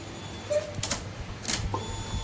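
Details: Honda Forza350 scooter after repair of fuel pump that caused intermittent no-start (previously started only 2-3 of 10 tries, needed shaking): a few clicks at key-on then a steady faint electric hum; normal fuel pump prime, now starting every time.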